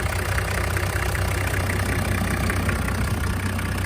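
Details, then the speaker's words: Toyota Land Cruiser HZJ75 1HZ diesel with newly installed A/C: even diesel clatter at idle with the compressor clutch engaged, pulling smoothly; all sounds healthy. "Okay, so the pulley's spinning, but the clutch is not. And then we turn our AC on. There she is."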